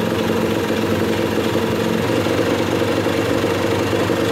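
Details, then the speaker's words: 34-year-old Kawasaki KS II-50 two-stroke after a carburettor rebuild for bogging and fuel leaking from the carb: even, steady buzz at constant idle with no stumbling or surging; idling cleanly, better than new. "pueden apreciar bandas a pesar de sus 34 años que tiene esta moto de visita se oye mejor que una nueva la neta que está jalando muy bien"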